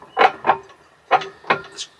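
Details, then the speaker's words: 30-year-old Whitlock Cobra steering pedestal on a Westerly Ocean Quest yacht, wheel moved quickly: irregular heavy clunks in quick bursts, about two per second; worn pedestal knocking, later refurbished. "Quite quite a nasty noise. Oh, that doesn't sound good and expensive."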